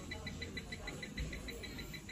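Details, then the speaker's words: Huipuna 5-litre 900 W electric pressure cooker, not heating, with the display light flashing and spinning and no response to any button; short high beeps about six a second, a fault alarm with cause not yet found. "显示屏呢，这个灯一闪一闪的啊，在转，然后按什么键都没有反应。大家来放近点看，听一下这个声音，还带有这个滴滴滴响啊，听一下，就这个声"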